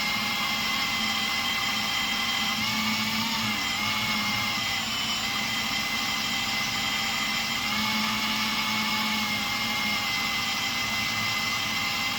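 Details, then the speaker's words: Hydro-Gear T2 hydrostatic transmission, rebuilt and purged of air on the bench, driven by a drill, oil level correct: steady even whine with smooth drill hum, no knocks, grinding or surging; normal operation. "Seems like everything's working really well now."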